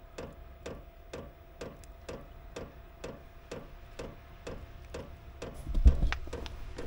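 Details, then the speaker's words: Chinese diesel heater with fuel-related error codes E08/E10 after installation changes, running a little rich and smoking: sharp, even ticks about twice a second over a faint tone, burner never catches; no ignition from carbon-blocked exhaust. "all right I don't think it's going to I don't think it's going to work because uh what was once looking promising not so much"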